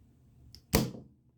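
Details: Faint tick, then one sharp clack as control power is cycled to reset the HVAC lockout relay (removing 24 V and the thermostat call) and the compressor contactor pulls in cleanly; normal operation.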